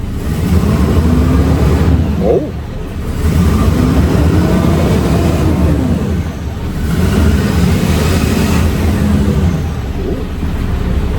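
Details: HGV diesel truck revved: rough chuffing edge on each rev from exhaust blowing at the manifold where two front manifold bolts are missing.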